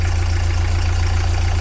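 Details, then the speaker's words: Narrowboat engine at tick-over after engine mount replacement and engine alignment, with new gearbox: deep steady thump, no knocking even when leaned on, whereas it knocked before; normal idle. "then there we go no more knocking going to lean on it and that that was knocking before"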